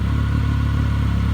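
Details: 2006 Triumph Speed Triple 1050 stored 8 years, first start: low, even idle with a steady beat and no knocking, ticking or misfire; the engine settles into a clean, healthy run.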